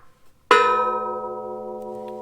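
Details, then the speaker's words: Case IH 770 tillage disc hitched to a Case Magnum 245: one strike gives a clear, sustained bell-like ring that slowly dies away, showing the blade is tight and in place; a dull thunk would mean a loose blade. "hear that vibration that ringing that's what we're looking for that tells us that this blade is tight and in place"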